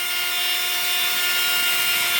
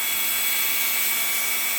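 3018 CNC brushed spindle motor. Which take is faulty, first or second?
first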